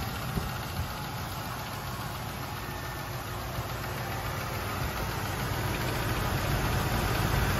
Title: AMC 360 tapping noise. 1984 Jeep Grand Wagoneer